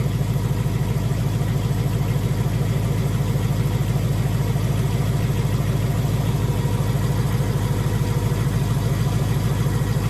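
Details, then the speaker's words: 2018 Mustang GT with stage 2 Whipple supercharger, on dyno, fully warmed up, checked for typewriter tick: deep, even V8 burble about 200 pulses a minute, no ticking on top; healthy warm idle. "No tick in here, guys. This motor sounds awesome."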